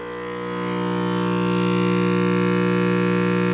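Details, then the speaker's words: AM/FM/phono vacuum tube radio being restored, just powered on: a loud, steady low buzzy hum swells as the tubes warm up and then holds constant; mains hum. "All the tubes are warming up. That's a good sign. I just have horrible hum, and that's the first guy I'm going after right there."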